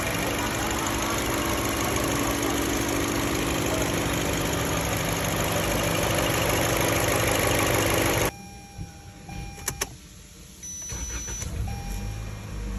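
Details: Toyota Camry AXVH71L: steady, even idle with no stumble or shake for about eight seconds, then the engine cuts out quietly; sounds smooth.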